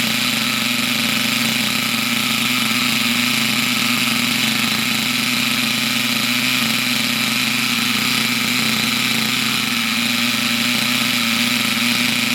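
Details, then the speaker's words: Unknown nitro RC buggy after its very high tick-over was lowered: steady, even high-pitched buzz at constant speed with no stumbles, running cleanly. "it's blown through now because that runs really well now so there we go unknown mystery Nitro buggy and she runs nice"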